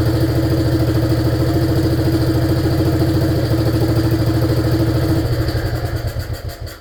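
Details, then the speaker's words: 1947 BMW R35 motorcycle run after sitting for years: even thumping at roughly 200 beats a minute that weakens and dies out after about five seconds; it's not sucking fuel, so the engine stalls. "As you can hear, she's not sucking fuel and it's a little bit dusty in so it's really really foggy in here."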